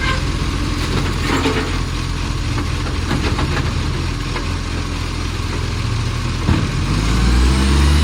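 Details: Millicent Commercial Garbage truck SL01074 diesel idling: fast rhythmic puffing chuff over the low rumble, typical of exhaust escaping before the muffler; big exhaust leak.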